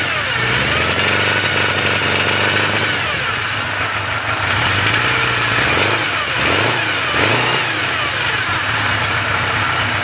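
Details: 1981 Suzuki GS850G four-cylinder idling and blipping, a thin high-pitched whine over the engine rising with revs, caused by an incorrectly installed cam chain tensioner; recorded before repair.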